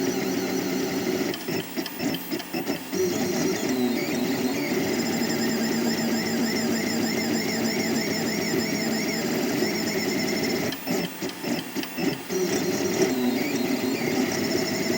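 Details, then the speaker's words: 3D printer before installing NEMA 17 stepper vibration dampers between motor and mount: high, warbling, strident whine shifting pitch as the axes move, stepper vibration ringing through the undamped frame; dampers later made it a dull, non-disturbing sound. "on va faire un test de son avec l'imprimante on va déplacer les axes tout simplement puis on va regarder quel est le niveau sonore de l'imprimante"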